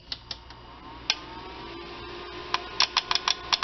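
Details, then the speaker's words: AV-602A amplifier at switch-on: sharp dry clicks rattling inside as two protection relays chatter; relays themselves fine, fault is in the relay driver circuit. "Ang relay ang nag ah may kaengkwentro diyan. Yan. So may gea talaga sa loob. So ang problema ay ah itong dalawa rel na ito."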